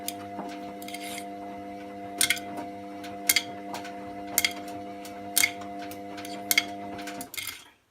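Washer drum turning with a steady hum, and a sharp metallic click every couple of seconds, about 28 a minute, uneven spacing; cause not clear.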